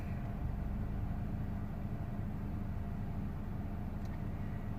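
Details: 2004 Honda Accord stopped at idle with the A/C or defroster on: low, uneven, slightly lumpy, unsteady rumble; rough idle only under that load.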